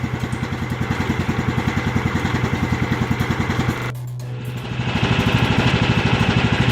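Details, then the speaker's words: John Deere GT225 with a rebuilt Kohler Command CV15S after seized lifters, following a fresh synthetic 10W30 oil and filter change: an even, steady thump with no top-end ticking and no more lifter noise; runs smoothly. "so the oil has changed and seems to be running pretty smooth"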